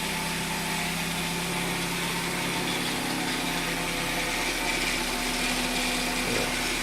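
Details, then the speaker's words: Hyundai after engine swap, first start after priming fuel: steady, even idle with a faint high whirr, no misfire or knocking; fired right up with no issues. "Made up, I fired right up first start, like I said."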